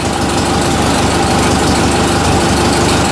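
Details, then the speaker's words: Ford 2N tractor, warm engine: ticks over at a steady, even beat, about three pulses a second, with no knocks or rattles; tight, healthy idle. "o bad i don't hear any noises good and tight in there but something's going on with that 800"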